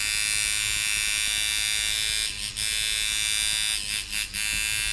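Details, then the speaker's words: Mojobox tattoo machine tuned at about 6-6.5 volts: steady, even high buzz with no choppiness or rasp; normal smooth running. "So I really like to tune these at about 6 volts just to make sure, or about maybe 6.5 volts, make sure it doesn't get too choppy."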